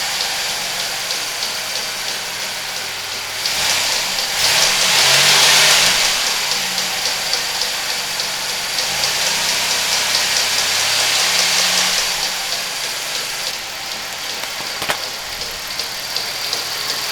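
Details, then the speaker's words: 1991 Buick LeSabre with the original 3800 Series 1 engine, idling with a faint, steady tick about every other revolution; the cause was a damaged serpentine drive belt, though a bad accessory may also be responsible. "this has been about the easiest autofix I've done in a long time ticking noise just a belt"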